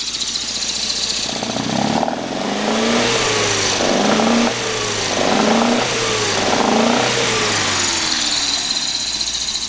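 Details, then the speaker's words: 1971 Mitsubishi Galant GTO MR twin-cam four with original header and dual side-draft carbs, revved and settling to idle: a loud, lumpy, uneven exhaust note with a missing beat, consistently misfiring on one cylinder and running on three. "now the engine does misfire on one cylinder consistently and so that wasn't actually a four cylinder you were listening to"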